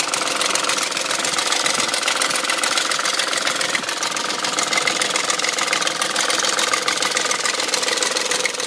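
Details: BMW M62 V8 at 510,472 km, steady idle: busy, mostly high-pitched metallic chatter at about three to four beats a second; the rattle's origin is unclear, and the owner suspects the timing chain guide rails.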